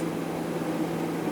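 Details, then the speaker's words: Refrigerator that was clicking and not cooling (~64°F inside), just after replacing start relay and overload; compressor now runs with steady low hum and even drone, no clicking — repair appears successful. "alright let's plug her in and see what happens well it looks and sounds like I fixed it"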